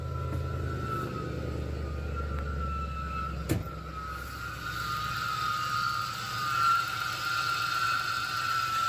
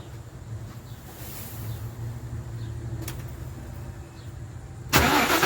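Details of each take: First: Idling supercharged (M90, 7 PSI) Ford 4.6L 2-valve V8 in a manual-swapped 2010 Crown Vic on first start after the build, running rich on larger injectors; a steady high whistle rides above the rumble, from a worn belt tensioner and idler pulley. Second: Ford 4.6L 2-valve V8 in a 2010 Crown Vic with a junkyard M90 supercharger and manual 5-speed idles with a low, steady hum and no belt whistle. This is after the timing chain rebuild and a new tensioner assembly and idler pulley: nice and quiet.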